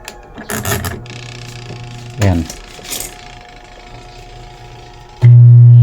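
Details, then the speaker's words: Washing machine that won't spin: after turning the timer, a loud steady low hum with no spin; motor energised but stalled, motor or capacitor suspected. Cause not confirmed. "hindi umikot guys umuugong lang oh hindi umikot ang makina"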